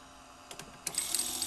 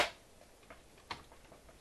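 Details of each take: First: 1978 RCA VCT-200 VCR, belts okay, pressing play: sharp clicks, then a thin rattling, buzzing chatter as a gear cracked in half in the tape transport makes the mechanism vibrate. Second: 1978 RCA VCT-200 VCR after a broken gear was epoxied and left 24 hours: a few isolated clicks, then about two seconds of even, steady whirring with no grinding, so the mechanism turns smoothly; the epoxied gear later broke again.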